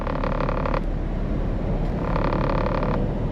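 A hoarse croak lasting almost a second repeats about every two seconds over a low rumble; the source is still unidentified.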